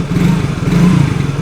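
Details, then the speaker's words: Yamaha single-cylinder bike just reassembled with cast-alloy cylinder block replaced by steel-sleeved Takayama block: short even rev, steady low note, no ticks or rattles; idle sounds slightly heavier than original block: normal engine revving. "Ini suara mesin halus ya terdengar harus enggak ada suara aneh-aneh apa-apa enggak ada coba gas"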